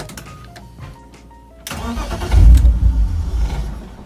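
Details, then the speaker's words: BMW E46 323i with M52 engine, starting fault for months since the subframe and fuel tank work: cranks, catches with a brief rough burst, then dies within seconds instead of idling. Starts only after 10 minutes on ignition; the air flow sensor was faulty. "runs for a second stop sit here all day long and it ain't gonna happen"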